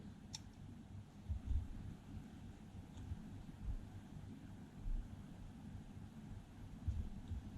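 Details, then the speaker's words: Floureon CCTV camera, reassembled after teardown for a stuck-on-night-mode/white-screen fault, light sensor covered and uncovered: a few sharp tiny clicks seconds apart as the IR-cut filter switches between night and day; working normally, fault apparently cleared by reassembly. "Hear the little switch, hear the click, and the lens switching into place, and the picture has gone to black and white."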